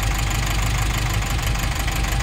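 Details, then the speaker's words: Nissan NV350 diesel with heavy vibration, injectors unplugged one at a time: lumpy idle hardly changes, injectors 2 and 3 reacting weakly; weak cylinder. "so ang mahina P mag-react ay ang injector number 3 at saka yung injector number two"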